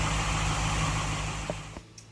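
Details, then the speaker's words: 1947 Ford Tudor street rod, Holley "whistler" carburetor: steady, even idle with no whistle riding on top, then shutdown. The whistle came from the primaries and was traced to the carburetor base; now a normal idle after the repair. "quiet as a church mouse just once in a while I hear a little low chair but I'm overly sensitive to that stuff I hear problems or nobody else does and sometimes I think I create them so my whistle is gone it sounds like a normal Holly now so it was definitely the base"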